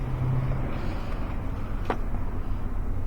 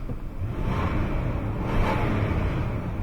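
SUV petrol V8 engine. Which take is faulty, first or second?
first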